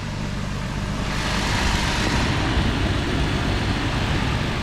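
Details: 2013 Toyota Tacoma V6 idling after AC compressor and clutch replacement with a new OEM unit: smooth, even idle with a steady low hum and no knocks, squeals or clutch chatter; normal idle.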